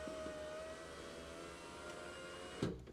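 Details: 1991 Alfa Romeo Spider passenger-side window after fitting a new Centerline motor, door panel still off: a smooth, even hum as the glass travels, no grinding or labouring, a soft clunk at the stop, working properly.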